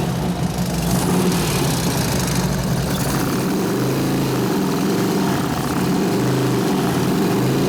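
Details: 2004 Harley FLHT Twin Cam 88 after cam and tensioner bearing repair, running in gear on the stand: a busy mechanical rattle over the exhaust beat. Owner suspects valve rattle, not the cam; primary chain adjusted correctly.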